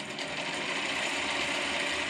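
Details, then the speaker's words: Grizzly G0748 mill after DC motor and control box upgrade (150k speed pot), running low speed: fast dense metallic rattling and ticking over motor hum that just started today; owner suspects the gears, not confirmed. "you hear it rattling that just started today so now I've got something else going on with them gears"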